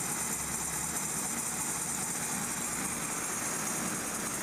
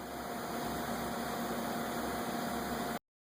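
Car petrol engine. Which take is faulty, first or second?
first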